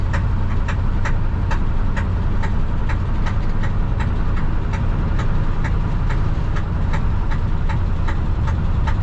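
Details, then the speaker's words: 1968 Ford F100 on a test drive after a water pump replacement: heavy, regular knock about twice a second over a deep rumble, with ticking and clanking; owner suspects a thrown rod or torque converter. Oil pressure light not on, backfiring. Bottom-end knock. "knocking ticking clanking all kind of things hear that knocking i hope i can make it to the house before it goes off"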